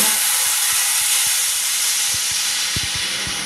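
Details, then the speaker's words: Mini laminating machine for iPhone 6S/6S+ LCD refurbishing: steady rushing hiss with a few faint ticks as the chamber pressurizes at cycle start, then near silent operation; normal pressurizing hiss. "Okay, now after this sound, then you can hear that there is no noise while the machine is in operation. It is very silent."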